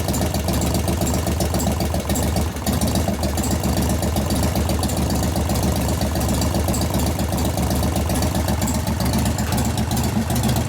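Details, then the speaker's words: 1988 Harley FXR V-twin warming up at idle: a light ticking knock at two or three per second rides the lumpy beat and grows as it heats. Pushrods were adjusted to zero lash, so the lifter acts solid. Hydraulic lifter knock. "as it's warming up it's making more and more knocks because donors are growing yeah because that's a solid lifter right now"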